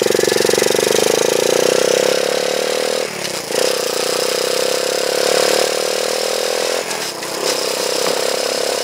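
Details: Honda chopper ridden after cutting off part of the over-welded battery bracket: steady engine drone with no scraping or rhythmic rubbing from the chain; the drive now sounds clean and quiet.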